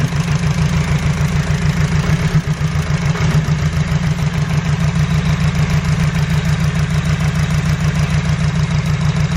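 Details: Honda Civic EG with suspected injector problem: low idle with a pulsing beat around three per second, slightly uneven, possibly one cylinder missing; unplugging the number one injector changed nothing.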